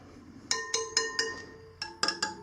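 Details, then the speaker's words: Tight spokes on a Sur Ron Light Bee wheel being tapped during a spoke check: each tap gives a clear, high metallic ping that rings briefly, eight taps in all, showing the spokes are properly tight, unlike loose ones that thud. "so that this is a good this is probably good right here see how that makes a pinging sound"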